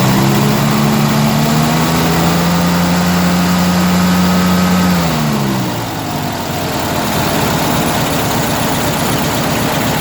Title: strange engine sound